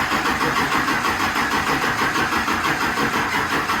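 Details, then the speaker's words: Diesel Humvee cranking after a CTS3 module was made to work, expected to crank long for fuel: labored cranking at about three pulses a second without catching. Slow cranking; owner says the batteries are low and reaches for a jump box. "come on, baby. My batteries are a little low, boys."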